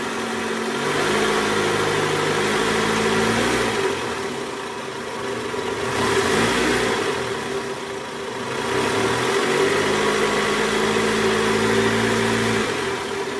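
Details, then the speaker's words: 2008 Toyota Camry 2.4 V (2AZ-FE) after a new belt tensioner was fitted, in R at about 1200 rpm: the engine rises and falls smoothly. The growl caused by the old weak tensioner spring is gone. "Guys bunyinya udah hilang nih udah nggak ada bunyi bunyi ngoroknya udah nggak ada nih posisi R di gas kisaran RPM 1200 bunyi udah hilang"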